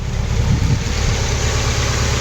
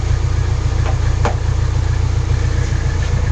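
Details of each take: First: Nissan 240SX S14 KA24DE after removing one timing chain guide, cold day: steady idle just under 1,000 rpm, even low hum, no chain slap or rattle; normal idle after the fix. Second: Nissan S14 240SX KA24DE, cold weather, after removing a worn timing chain guide: steady low idle with only faint light rattle, far milder than before; other guide still in place.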